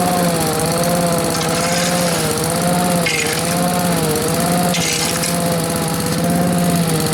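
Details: Two-stroke blower, run outdoors, holds a steady high buzz with slight wavering pitch but no dropouts; the surge it always had is much reduced, owner thinks it starved for fuel; sounds healthy.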